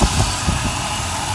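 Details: Engine idling after greasing the idler pulley and reassembly: steady, even low idle with a smooth rumble and no squeal or chirp from the belt or pulley; it sounds healthy.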